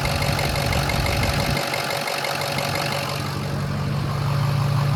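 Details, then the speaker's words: Diesel truck idling steadily and evenly, no misses or knocks, after restart once a forgotten unplugged plug was reconnected and fuel pumping restored; injectors seem okay after brief fuel starvation; normal idle. "Sound like the injectors were okay with that little bit of starving that I just subjected it to. It sounds good."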